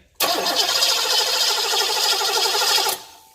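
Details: 1990 Cadillac, engine warmed up after a new 180° thermostat replaced the 195°: the starter cranks at a steady, even beat for about three seconds with no attempt to catch. Fuel pressure is present at the rail but there is no spark, traced to a failed ignition coil, not VATS.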